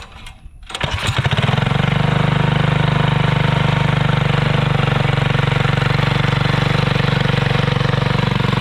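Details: Alcohol-fuelled 212 single-cylinder go-kart engine, started after sitting about 3 months since March without draining fuel: short crank, catches and settles into steady, even idle around four beats a second, running cleanly.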